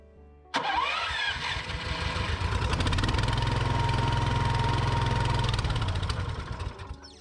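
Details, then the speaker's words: Hybrid snowblower's small engine jetted for California, started in freezing cold on half choke: fast, slightly unsteady putter running just passably; it needs more fuel and an automatic choke. "it running on half choke halfway decently. I'll consider this a future problem."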